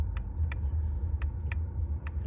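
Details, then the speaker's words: VW MK6 Jetta TDI, ignition on, horn pressed repeatedly: sharp dry relay clicks in pairs, no horn tone; relay switches, horn never worked and is being replaced; check fuses next. "And that is not the contact from the steering wheel. That is actually coming from under here."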